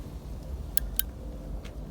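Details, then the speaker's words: Kärcher 520 pressure washer on/off switch: two sharp clicks and a fainter third but no motor start, because the white switch actuator has worn after a few years and the switch no longer makes contact. "Hear the clicking? Yeah. What happens, this bit wears here, so the switch doesn't actually make contact."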